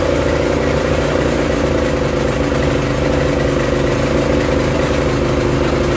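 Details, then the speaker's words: Barn-find Honda GX340 generator engine on a homemade CDI ignition, with electrical load on: steady, even low drone at constant speed, no misses or knocks; working fine under load, though hunting remains unresolved. "there we go that seemed to be working fine under load as well"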